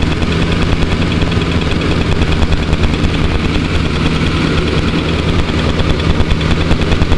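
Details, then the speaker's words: Rolls-Royce that stalls once hot, new coil wire and Taylor 150 ohm 8mm plug wires, warm engine in park: steady idle, even firing, no misses, but idle speed a little high; drops a couple hundred RPM in gear. "Now that idle seems a bit high, but whenever you put it into gear, it lowers it, drops it down a couple hundred RPM, and it settles in nice. Right now we're just in park."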